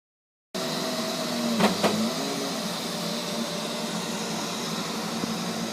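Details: Neato robot vacuum, used fewer than 30 times, suddenly making loud noises at random intervals and lengths: steady high motor whirr with a brief louder surge near the start that settles back; cause unknown.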